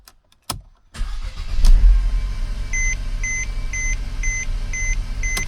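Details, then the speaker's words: 2012 Mercedes C250 (W204, 1.8L turbo) with a no-crank/no-start fault traced to a bad starter: after the new starter is fitted, a brisk crank catches cleanly and settles to a steady idle under a chime. It cranks and starts normally. "Alright, so we got our starter on, batteries on, everything is connected. Gonna give it a few starts."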